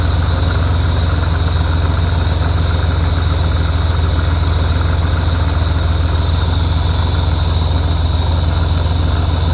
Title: Weird noise on a Rotrex Supercharger, any idea if its normal, or if theres something wrong